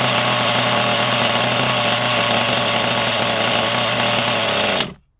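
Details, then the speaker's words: High, buzzy, steady rev that never drops to a slow tick-over before cutting off, on a used HPI Trophy nitro buggy engine; the tick-over screw is set too far in, so idle is too high. "Tick over screws a little bit too far in, out, so we'll put that in an Atchcock until it takes over."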